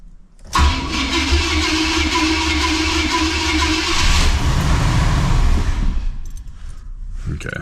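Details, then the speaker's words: 1980 Cadillac Deville, first cold start after six months stored through a Minnesota winter: catches after short crank, runs rough about five seconds, then stalls; normal for this car on first start. "that's pretty normal for this car. It doesn't want to stay running that first time, but you want to listen for any bad sounds."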